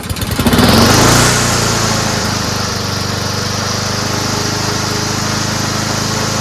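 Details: Toro Recycler lawnmower built from three broken mowers, fitted with used Honda engine, oversized belt; pulls, fires within a second, smooth even drone with steady blade whistle: engine runs healthy.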